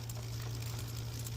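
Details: Aventon Soltera 2.5 e-bike on kickstand after rear derailleur adjustment (previously chain came off in first gear, grinding against motor, and wouldn't shift 4th–5th): steady hum, quiet chain, light shift click, no skipping or chain drop; normal gear shifting.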